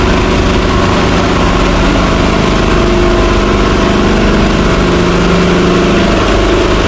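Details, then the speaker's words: 1963 Chrysler Newport with a V8, revived after sitting, smoking: steady, even idle with a low, regular rumble and no knocks, misses or stumbles, smooth despite the smoke, a normal idle. "That thing is so good. It's like it don't even have a stumble off idle."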